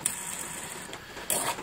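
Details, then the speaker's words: Hand-spun car gearbox bearing gives a dry, gritty rattle in short bursts; it was damaged after a broken driveshaft yoke let a bearing cup escape and a bush fell into the gearbox cavity. The bearing and housing were replaced. "So the next thing in line for all this car's carnage and destruction is this bearing, which you can hear it's not very happy."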